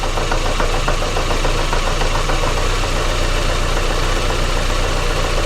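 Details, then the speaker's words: 2005 Daewoo Lanos 1.5 L with Check Engine on, rough idle, hesitation and no power. Lumpy, uneven idle with irregular exhaust pulsing and stumble. Injector cut test shows cylinder 3 dead. "А в нас судячи по пульсації вихлопу і є пропуски запалювання в якомусь з циліндрів"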